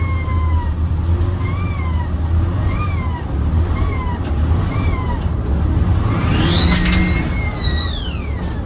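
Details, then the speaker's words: Turbo Daihatsu Mira with HKS blow-off valve: a thin, toy-like, electronic-sounding whistling chirp that rises and falls with each throttle lift and ends in a long sweeping screech; the blow-off valve sounds too screechy. "It sounded like a toy. It sounded like an electronic fake one, actually. Yeah, it literally doesn't sound real."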